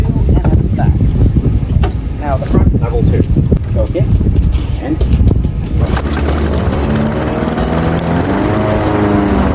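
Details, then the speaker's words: Craftsman 21-inch mower, 5.5 hp Honda GCV160, now cutting grass at height level two after service: after handling noise, settles into steady even drone holding speed under load; healthy, technically nothing was wrong, fully functioning. "absolutely simple fix because there was technically nothing wrong with it. So, as you can see, it's now fully functioning lawn mower."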